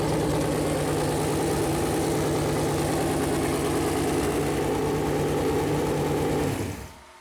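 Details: Freshly built Chevy Performance 454 big-block V8 on a run-in stand, first fire-up: even, steady idle with a firm low rumble and no knocks or ticks before shutting off. Normal idle; the plastic oil-gauge line later leaked after touching the headers.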